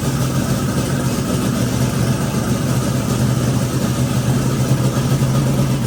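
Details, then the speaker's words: Twin turbo Nova engine after flipping the reversed coil wiring on one bank, at idle: even, deep low rumble with no misfire stumble, firing on both banks and healthy; idle air-fuel still untuned. "Uh, but that sounds a lot healthier and better for sure now that it's firing on both sides of the motor instead of just one."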